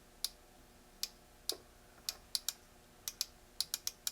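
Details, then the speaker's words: Net Test fiber optic power meter bought as-is, its buttons unresponsive: sharp, dry clicks at irregular intervals, about a dozen in four seconds, as the internal range relay auto-switches when the unit is lifted and the light changes; normal. "When I lift it up, it's changing ranges. There's a relay in there where it changes ranges."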